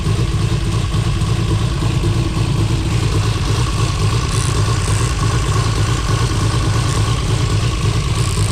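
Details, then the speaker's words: Built 2JZ-GTE in a 1995 Supra, fresh oil change, oil pressure 40 psi: steady idle with uneven loping beat about twice a second; one cylinder suspected not firing. "I did just change the oil and filter in it, but that might not be for anything good, because if we got a dead cylinder, then we're gonna be digging into some real serious problems here."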